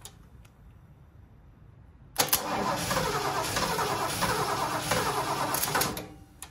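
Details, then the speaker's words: Ford 460 big block in a 1976 Lincoln Continental, 41,000 original miles: catches and runs rough and uneven about three seconds before dying; not pulling gas from the tank (two fuel lines), fuel starvation. "so try not to flutter out here she ain't pulling no gas though there's two gas lines on this thing too coming from the tank"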